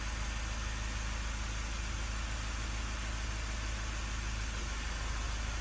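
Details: Mazda 3 diesel after a new brake vacuum pump is fitted for a P258B code and hard brake pedal, warning light now off: quiet, even idle, steady low hum, no knocks, rattles or pump whine; normal idle.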